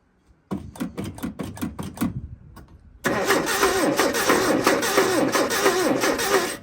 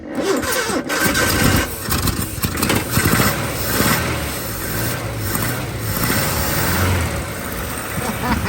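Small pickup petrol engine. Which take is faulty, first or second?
first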